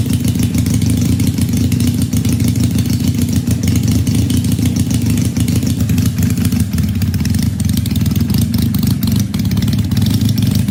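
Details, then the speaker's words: 1968 Honda CL175 twin with supercharged EFI on E85, injectors now working, 34-degree garage: loud, even low drumming steady for ten seconds with no misses or stumbles; healthy cold idle on both cylinders, tune still to be refined. "It's like, it's now 34 degrees in the garage with the door open. The fact that this thing even kicks over, I'm ecstatic."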